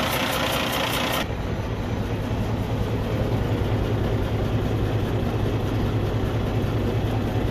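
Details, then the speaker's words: 2012 Cummins ISX15 heavy diesel, rebuilt about 180,000 miles (a year) ago, idling with an uneven lumpy beat under a steady hiss. It misfires with heavy tailpipe smoke and has no power. Cylinder 6 is dead and leaks compression, with suspected broken cylinder head and coolant consumption. "it sounds like a very expensive problem it has misfire and you can see a lot of smoke coming from the tail"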